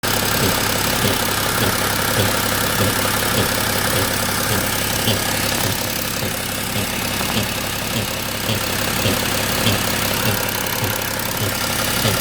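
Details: BMW X3 M57N2 diesel, 191,000 km, chipped to 262 hp, automatic, swirl flaps removed, idling: fast light tick over the clatter near the intake manifold by the oil filter or just behind; owner suspects the flap-control vacuum actuator and linkage.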